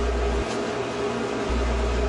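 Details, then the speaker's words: GE dryer with drum not tumbling, motor tested directly on live 120 V via test cord at start switch: smooth, even electric hum with steady low drone, no grinding or buzzing; motor and door switch okay. "If the motor runs, then you know that the door switch and the motor are okay."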